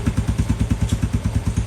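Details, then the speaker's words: Motorcycle after flooding, fresh 10W40 Repsol motor oil, kickstarter pumped about three times to circulate oil before starting: steady even thumping about eight pulses a second, low and smooth, no ticks or clatter; quiet healthy idle. "Sige, start mo na ngayon. Walang kaingay-ingay ha."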